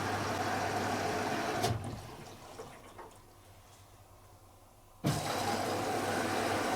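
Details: Logik L814WM20 8kg 1400-spin washing machine, powder detergent in the main wash drawer, main wash LED lit: an even hiss of water rushing in drops away, then returns strongly; normal fill as the main wash starts.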